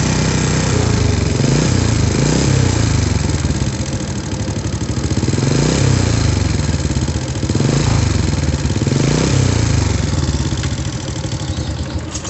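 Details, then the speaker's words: Honda Supra motorcycle before repair, at idle: rough idle rising and falling with a harsh, regular kletek clatter plus small ticks; mechanic judges cam chain only ~30%, suspects worn camshaft neck; lower valve slightly loose. "Ada bunyi kletek-kletek secara teratur dan sedikit bunyi kecil-kecil ya, tapi yang besar banget itu bunyi kletek-kleteknya."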